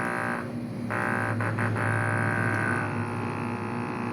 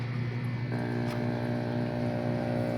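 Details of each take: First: Aquarium air pump during repair: loud, low buzzing hum pulsing about four times a second; the diaphragm adjustment screw is misadjusted and needs resetting. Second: Aquarium air pump after resetting the screw at its rubber diaphragm: steady low hum with an even buzz, no rattle or irregular knocking; now running quietly and smoothly, fixed.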